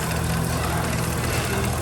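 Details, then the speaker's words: Dodge Ram pickup, about 2004, 198,000 miles, idling with a lumpy, uneven misfire; unplugging the number eight coil brings no change in rpm, and the misfire does not change. "no change in rpms and the uh the misfire didn't seem to change"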